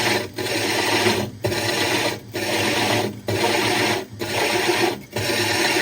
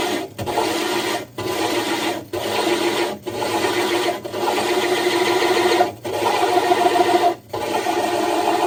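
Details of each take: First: Hole saw drilling 60 breeder aquarium glass with water added: rasping grind breaks up about once a second with a dull knock each cycle; knocking means the saw is nearly through the glass. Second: Diamond hole saw drilling a 60-gallon breeder aquarium's glass, pressure lifted and reapplied and drill power varied: gritty grinding in short bursts with pauses; normal controlled glass cut.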